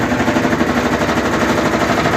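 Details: Brastemp/Consul 11 kg washing machine during spin: fast relentless clattering bangs like the drum hammering the cabinet; basket running unbalanced.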